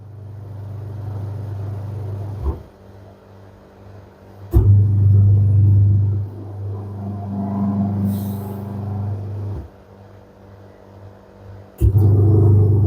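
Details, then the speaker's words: Candy semi-automatic twin-tub washer, wash motor on a wash cycle after fixing: steady low hum cycling on and off in bursts with a reversing pause, smooth and even; motor running normally. "Now you can see without any problem motor running well. The problem with the motor only."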